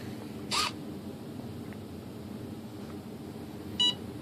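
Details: Hobbyking 20 A ESC in a Sunbird 1.6 m glider, powered up with throttle cut off and the stick full up: a short burst, then a single sharp beep as it enters programming mode.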